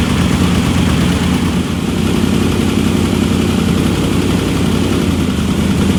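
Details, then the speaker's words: Engine of the car Eileen running again after rebuild work, a leaking ARP head bolt since snapped off: steady, even idle with a settled low rumble and no knocks or misses; sounds good, normal idle. "now you can see it runs hmm that's about it sounds good"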